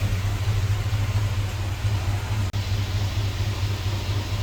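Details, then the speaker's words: Squarebody Chevy C10 with an LS V8 swap, fuel pressure about 60, revved then idling; rpm seems low. The deep V8 idle has an uneven, lumpy, rising-and-falling pulse, and the scanner confirms an engine misfire. "yeah we got a misfire"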